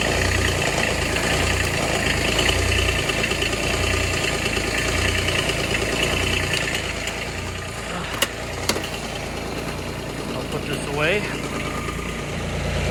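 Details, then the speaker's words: Kubota RTV900 diesel at -8°F after fuel gelling: cold clatter at a fast, uneven idle with a loose knocking rhythm, still struggling on thick fuel. It is left idling unrevved while the fuel circulates. "i don't want to rev it up and get anything cranked up i just want to leave it if you let it idle for a little bit it generally does pretty decent"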